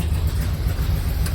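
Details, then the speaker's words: 1971 Buick Riviera 455 V8 with carburetor, heard from the rear exhaust: deep, lumpy exhaust rumble at idle with uneven beat and dropped pulses; missing on at least one cylinder, engine coming out for a 60k replacement; cause not confirmed. "so there she is it does run it's just not it's not perfect as you can hear back here it's looking pretty bad so she's definitely definitely missing"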